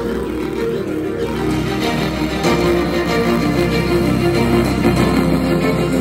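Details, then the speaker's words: JBL Bluetooth speaker playing music before repair: rough crackly rattle on low notes at every beat, distorted "basag" sound from torn speaker cone edge, to be fixed with electrical tape. "so Ayun mga kaibigan ah basag Basag yung tunog ng ating Bluetooth speaker ah try nating ayusin no"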